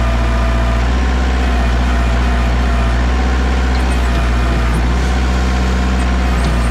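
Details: Warmed-up 2002 Kubota MX5000 DT tractor, about 960 hours, after a new hydraulic filter cured a squealing pump and dead, jerking hydraulics: diesel at raised revs gives a steady, even drone with no pump squeal; hydraulics normal.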